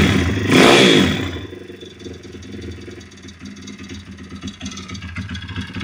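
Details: YX-1 160 four-stroke single: after a quick rev, the idle settles with an irregular metallic knock over the thump. Fully rebuilt with valves adjusted; small piston-pin play, no conrod or cam play, but the cam came out loosely with its bearings; slight ringless piston play. Cause unknown.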